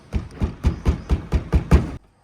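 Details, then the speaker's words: Maruti Swift fender rattle: dull hollow knocks about four a second, then silence; loose, open wiring clips are touching the body; the fix is adding foam packing. "तो fender में भी आप सुनिए आवाज़, मतलब कितनी गंदी आवाज़ है।"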